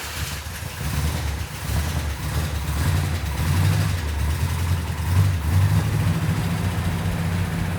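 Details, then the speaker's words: Jeep V8 at first start after a fix to the fuel sending-unit gasket leak, with fluids topped off and timing set. A deep, even burble with mild throttle blips and no knocks or ticks: a smooth, healthy idle. "When Mark got it started, it sounded really nice. I couldn't even hear it."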